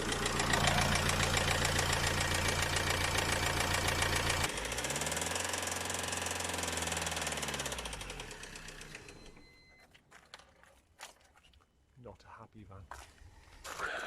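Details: Works van converted to a camper, started cold (it won't start when warm): steady, even knock of about three to four beats a second over the cold idle, then the engine dies away; engine knock at idle, cause unknown, van being sold.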